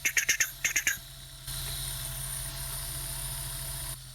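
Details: Sega Dreamcast GD-ROM drive with slow loading and read failures, suspected failing capacitors: quick light uneven ticks about two a second then faint hiss, failing to read, "please insert a game disc" shown.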